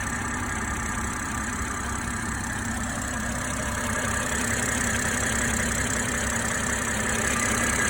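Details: BMW M340i petrol engine idling steadily, with a light, fast ticking on top: the normal sound of the 350-bar high-pressure direct-injection fuel pump.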